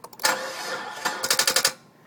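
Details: 2000 Dodge with a new auto shutdown relay and new crankshaft sensor, fuel pump primed, battery nearly dead: starter spins the engine through about six sluggish chugs and it never catches. Cranks but no start.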